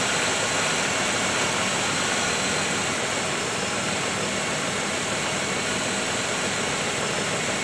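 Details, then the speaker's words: 1995 Oldsmobile 3800 V6 with 138,000 miles after timing chain service, warming while the cooling system bleeds and heater core getting heat: even, smooth idle with soft hiss and no tapping or rattle, idling down as it warms; normal idle. "you hear it idling down"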